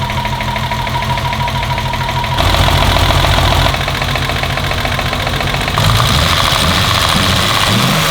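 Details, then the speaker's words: BMW E34 525 after head refit, lifters not serviced, just started and dry: rough idle, seemingly on three cylinders, with light fast tapping rising with revs; owner suspects lifters. Oil around and some steamy smoke. "It's a bit tappy. I think it's the lifters. I didn't do any of the lifters."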